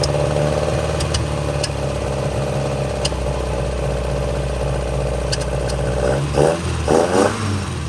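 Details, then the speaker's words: 1966 Volvo Amazon 122 estate after long storage, started using a jump from another Volvo: steady, slightly busy idle picking up cleanly through quick throttle blips; a lean backfire suspected, may be running out of gas, oil reaching head; sounds healthy. "Alex Volvo fired right up, and we'll use the jump off that guy, and using our fancy multimeter there, sticks them together and get some numbers out of it. It's kind of neat. Listen to this sucker purr."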